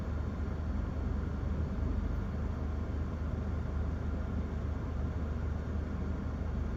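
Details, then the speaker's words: 2011 Toyota Corolla S idling in drive with A/C on, after replacing cylinder 2 spark plug and faulty coil pack: even, steady low idle with no stumble or bucking; misfire fixed. "I honestly can't believe that it could have been that so yeah um that seems to fix it"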